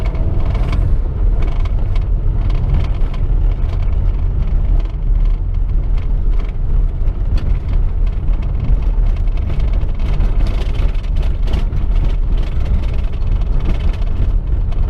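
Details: Chevrolet Corsa sedan driven over rough road: heavy road rumble with loose irregular knocks and rattles over bumps, coming not only from the suspension but from the bumper and doors banging.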